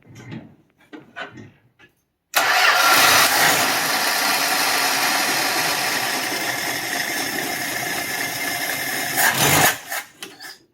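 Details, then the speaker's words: 1966 Dodge Dart, 225 slant six, cheap new Chinese Autolite-style single-barrel carburettor replacing the Holley 1920: silence, then it catches and runs roughly about seven seconds before dying; fuel geysered from the new carb, flooding the engine; needle suspected. "well you were good till you did that and that opened the choke wide open it woed through the oh stop stop stop problems this is a brand new carburetor"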